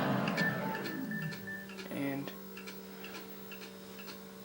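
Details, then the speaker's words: Original Xbox console at startup: light, quick ticking about four times a second over a faint hum before it shows error code 7 with a red light, a sign of a struggling drive. "as you can hear has a ticking in"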